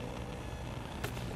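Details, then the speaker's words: Speakers hooked through an audio interface to a MacBook Pro 16" powered by an Apple Pro Display XDR: low steady hum with buzz even with no input, not volume dependent; it is caused by the monitor's power feed and stops only when the monitor is unplugged. "then we get this awful noise feedback it's not the speakers it's not the audio interface it's not the cables it's the MacBook Pro combined with how this is feeding power"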